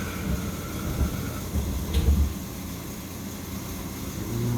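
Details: Boiler with intermittent no-heat fault (control board cycling on and off) after manual water reset: deep, even rumble builds as burner lights and stays steady with no chatter; burner firing normally, high limit around 160-165°.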